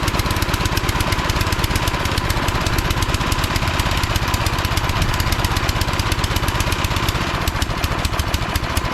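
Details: Craftsman 247.889571 snowblower, about 10–12 years old, little used, given away as a non-starter, first start after servicing: small single-cylinder engine chugging at a fast, steady beat without misses or stumbles, running cleanly.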